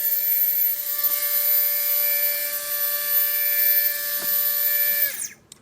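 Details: Readytosky 1804 quadcopter motor on a vibration test after calibration: a high steady whine with a gritty, rough hiss, then a quick spin-down. Bad bearing, crazy vibration; magnets reportedly come loose from vibration.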